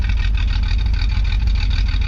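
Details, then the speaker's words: The 250 car, just out of winter storage and running on roughly two-year-old gas on a near-100 F day: deep, steady low rumble with an even beat and no misses or knocks; idles smoothly. "Good to hear it running again. So the 250 is uncovered from its winter storage. Running pretty good, considering the gas is like 2 years old in this car."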